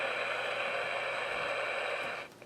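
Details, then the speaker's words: Kid-built Elenco FM-88K autoscan FM radio kit: steady loud hiss with no station ever coming through before it cuts off. The receiver is on and scanning but pulls in no stations. "it's definitely turning it's putting out a lot of noise but no stations"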